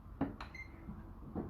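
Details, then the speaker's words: Nissan Figaro handbrake cable underneath the car: three crisp metallic clicks, one with a brief ring, as the mechanism moves and springs back freely. The handbrake cable is not seized and works fine. "the cable is moving and going back as you can hear the brakes clicking it means that the hammer cable is completely fine"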